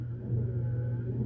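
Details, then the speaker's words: Hemi Duster wiper motor first run on freshly greased wiper transmission with all new bushings, powered by a 12-volt battery charger: even steady low hum, no grinding, catching or speed wobble, smooth like a washing machine; normal wiper motor running. "How's it look under here? Oh, it's all nice and smooth, too. Like a washing machine."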